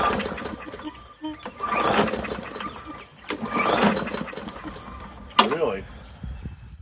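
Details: Free non-running push mower, primer pressed and carb cleaner sprayed in: three recoil pulls, each a brief whirring spin dying away with no firing; won't start.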